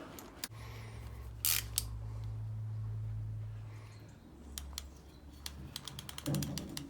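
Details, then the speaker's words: Rohloff Speedhub after pawl spring replacement, done to fix gear slipping: freehub gives light, crisp ratchet clicks freewheeling and engages in drive; slipping returned three days later, metal shards found inside. "the freehub we hear it clicking that's definitely working and then go the other way yeah that's in Drive"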